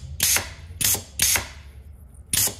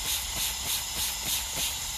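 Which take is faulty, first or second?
second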